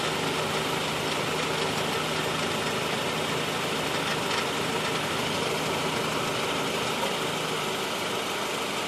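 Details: Cold idle on a 2013 Honda Civic with AC on: fast, uneven ticking chatter about three per second over the idle, going away when the clutch pedal is pressed; AC clutch noise when cold suspected.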